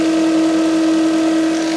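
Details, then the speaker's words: 2010 Nissan X-Trail T31, 2.5 L engine, running, microphone placed on the alternator: steady piercing whine; worn alternator bearing; vehicle also had the battery not charging. "Pretty noisy, huh? So, yeah, it's definitely the alternator. It's definitely like an alternator bearing."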